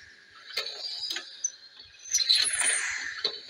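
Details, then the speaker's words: Mk3 horizontal stationary Stirling engine with new annular mild-steel regenerator, added lubricators and brass piston guides, running as the fire dies down: faint high chirps, squeaks and light clicks from binding piston slides; owner suspects heated brass turning soft and grippy against steel. "it was running quite well but the fire's starting to die down now there is quite a lot of squeaking going on it"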